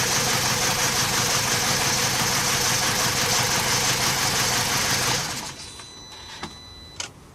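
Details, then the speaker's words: 2007 BMW E90 with rough throttle and a random-misfire scan code: idle lumps with a regular stumble about three times a second before shutdown. Unplugging coils one by one showed the cylinder 1 ignition coil is dead, causing the misfire. "We have a dead coil in the car, which is number 1."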